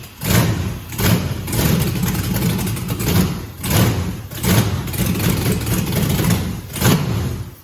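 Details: 150k-mile 6.0 LS V8, first start after finding a missing wire up top: catches after a few cranking pulses into a steady even low idle rumble on all cylinders; normal start and idle.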